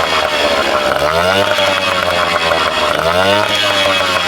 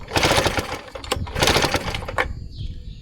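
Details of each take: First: Vintage small two-stroke outboard bought cheap, restarted, possibly a little loaded up, and pumping cooling water. A crisp buzz rises and falls cleanly as the throttle is blipped: it runs and revs on its own normally. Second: Vintage Tecumseh outboard bought cheap, cranked after a healthy dose. Two bursts of rapid pull-cord cranking with no firing. The owner suspects the ignition, likely points needing cleaning, unless the spark was just not visible.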